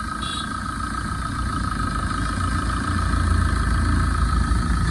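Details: 2011 Tata Vista diesel, 124,000 km, idling after repair (AC compressor bearing, loose intermediate shaft bolt, timing chain and water pump replaced): low, even rumble with no knocks, rattles or misses; engine sounds healthy.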